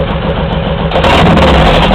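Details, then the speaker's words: Honda VTX1800 V-twin with Hard Krome 3-inch long exhaust, pair valve port temporarily plugged: loping idle blips up and drops back with hardly any overrun crackle; big decrease in deceleration popping. "Uh there's Big decrease in the diesel popping"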